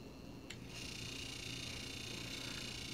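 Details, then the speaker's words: Freshly refurbished Leslie upper motor stack on test before adjustment: after a click it spins up into a steady high whirring buzz over a low hum. The motor runs noisy, and the slow motor still needs adjusting and quietening. "just finished we furbishing this let the upper motor stack and now in the process of making the adjustments to the motor"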